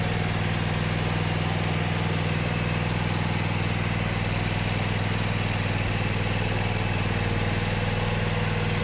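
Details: Mower unused about six months, now with new starter and battery: steady, even thump at constant speed with no misses, knocks or rattles; engine running healthy.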